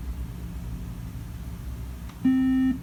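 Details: Late 2015 iMac won't start up: a single steady mid-pitched half-second beep over faint hum, computer beeping a warning and not booting.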